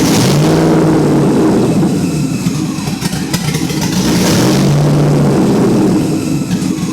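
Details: LS-swapped 5.3 2001 Lexus IS300: tape covering a rear intake manifold port came off, creating a large vacuum leak; the engine hangs far above idle, its pitch swelling and easing without throttle, up to about 4,000 rpm.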